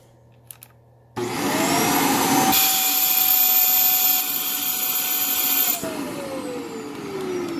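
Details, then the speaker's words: Vacuum with switch on hose: motor whine climbs and holds high and thin, starved of airflow; suction lost from a clog in either the hose or the filter, undetermined. "so this thing is plugged so there's either a clog in the hose or there's a clog in the filter"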